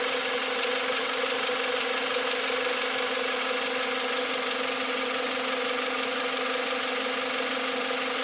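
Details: 2021 Volkswagen Atlas 2.0 TSI EA888 turbo petrol, 7,500 km (4,660 miles), fresh VW 0W30 oil: on cold start, as revs drop, a light quick ticking/knocking appears over a bright hissy idle.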